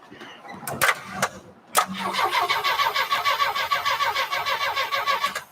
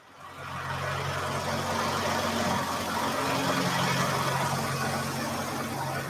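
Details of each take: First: 1949 Studebaker Champion, first start attempt on jumper cables: steady starter cranking at about three chugs a second with no firing or catch. It cranks but won't start, apparently lacking fuel, so carburetor cleaner or starting fluid comes next. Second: 1949 Studebaker Champion engine running after revival: steady, even idle with a smooth low hum, no knocks, misses or surges; runs well though the throttle sticks because it lacks a throttle return spring; a squeak was suspected earlier, throw-out bearing or vacuum leak.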